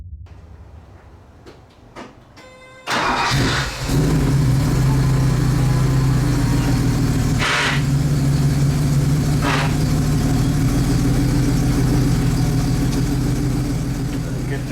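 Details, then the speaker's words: 1977 Porsche 911 Turbo, 915 transaxle: engine catches and idles steadily, then harsh grinding bursts forcing gears; clutch not releasing, owner suspected short cable travel, cable replacement failed, clutch fork found faulty and replaced. "so I was trying to ship gears and obviously the clutch is not disengaging so it could be one of two things"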